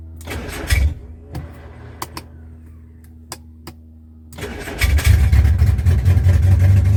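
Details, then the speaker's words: Rover P6 being recommissioned, running on an open exhaust after a fuel pump rebuild: slow cranking with scattered clicks, then it catches and roars unevenly only on starting fluid. It ran momentarily but still has a fuel delivery problem. "but um I did have it running momentarily. Still got a fuel delivery problem, though."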